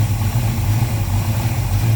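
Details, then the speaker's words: 1970 Dodge Dart Swinger 360 V8 with Edelbrock Performer intake, Holley carb and aluminum heads, heard at the open engine bay: deep, throaty, steady idle with slight mild-cam lope, no knocks or ticks; healthy. "definitely have healthy sounding sounds good nice deep and throaty bark out of that a little bit of a cam"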